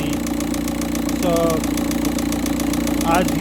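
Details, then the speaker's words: Cold-start idle, first morning at 13.2° engine temperature, of a VW Touran 1.9 TDI diesel: hard, repeating bang over the clatter that grows louder as the oil warms and thins; rod knock, big-end bearing failure suspected, then confirmed on sump removal. "you may be able to hear the banging or knocking noise coming from the engine."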